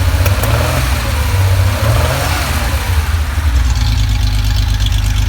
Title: Porsche flat 6 with lean misfire